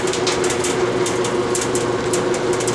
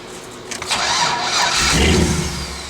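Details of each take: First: LS swap with homemade headers, first start: rough, uneven running with irregular sharp popping, a misfire. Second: Engine with a locked ECU, reference start: brief starter whirr, catches cleanly and settles into steady even idle; healthy start.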